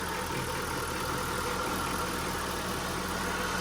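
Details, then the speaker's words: 2002 Mitsubishi Lancer LS, after sitting about four years: quiet, steady idle with even low hum, no knocking, slight belt grind underneath; sounds healthy, oil change and tune-up planned. "just listen to how smooth that sounds no weird noises she's got a little belt grind but for the most part it sounds healthy no knocking of any sorts"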